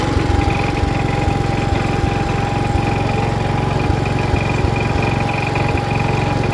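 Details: 1977 Wheel Horse B-100 garden tractor, single-cylinder, driving in first gear high range, charging the battery: even thump about three beats a second, steady under load with no misses or knocks; normal running.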